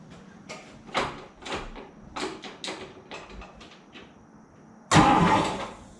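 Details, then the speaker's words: Old Dodge farm truck with 313 Wedge V8, stone cold and first start after long storage, no exhaust pipes fitted: a few soft thumps, then it catches at once with a loud, raw bark from the open headers; fires up fine. "so it started did you hear it no pipes i am literally speechless i've got i haven't put the pipes on look i've got them made up but i haven't even put them on yet"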